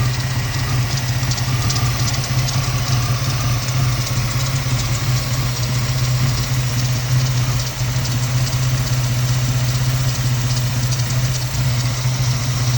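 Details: 2002 Ford Mustang 3.8 V6 automatic after PCV valve and breather hose replacement: low, uneven idle with occasional dips as if about to stall; rough idle and stalling, owner suspects a remaining vacuum leak.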